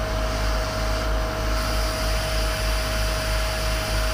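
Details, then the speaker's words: 30ft powder tanker Isoveyor unloading, final checks with aeration beds open: compartment three discharge pipe gives a steady even rush of air with constant low drone and no gritty powder sound, only air flowing, so the compartment is empty. "number three you just hear there's nothing but air going down that's fine that's empty"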